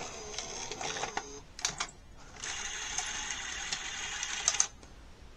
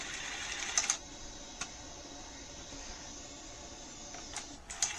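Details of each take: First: NEC SuperBeta HiFi VCR VC-N65EU: the loading motor whirs in bursts, then stops short. The mechanism doesn't move far enough to press the threading end switch, so the loading cycle won't complete. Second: NEC SuperBeta HiFi VCR VC-N65EU, after oil was cleaned off the slipping cassette housing belt: a soft motor whirr and sharp clicks as the cassette is drawn in properly. It then unthreads because the loading-cycle switch isn't engaging.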